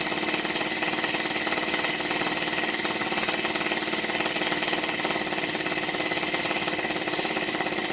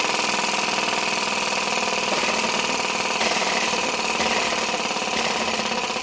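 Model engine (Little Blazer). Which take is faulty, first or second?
first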